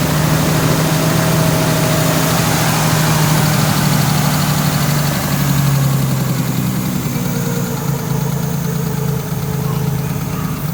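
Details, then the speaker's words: Neglected Nissan R33 Skyline that had been sitting, just started: it didn't like to idle, lopes and stumbles with an uneven beat. Afterwards cylinder five was found missing and the spark plugs were mismatched and replaced with new ones. "give it a shot with this fully charged didn't like to idle for some reason yeah"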